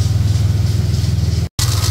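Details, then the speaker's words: Ford EF XR6 Falcon 4.0 SOHC idling during engine flush before oil change: quick, even tapping over the engine beat, quieter once warm; owner suspects power steering pump or its pulley. "tapping noise? I think it's I think it's the car's steering. I think it's that. That's where it's coming from."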